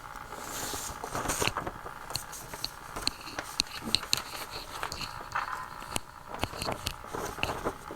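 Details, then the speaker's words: Philco 60B tube radio first power-up on a 75 W dim bulb tester: irregular crackles and pops over faint hiss from the speaker; putting the voltmeter on quieted the noise, so the set is picking up noise, source untraced. "That's interesting. put the voltmeter on there and it quieted all that noise right down. So that means I'm picking up some noise."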